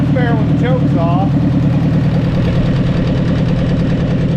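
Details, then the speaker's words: 1944 Ford 2N tractor after carburetor cleaning and number one valve adjustment: low steady idle thumping, slightly uneven with occasional stumbles, a light miss at idle; owner unsure whether low fuel causes it, suspects a new carburetor would help. "off keep missing a little bit I'm not sure if that's cuz we're low on fuel or what"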